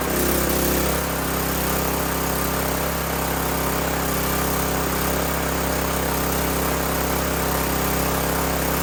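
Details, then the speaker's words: Old 5500 W gas generator running a little choppy after new oil; steady drone with slight uneven wobble. Owner notes diesel had been added to the gas before the carburetor change and it is low on fuel; expects smoother running once topped up. "all right well that one runs now it's a little choppy but I put a little bit of diesel fuel in the gas uh before I change the carburetor"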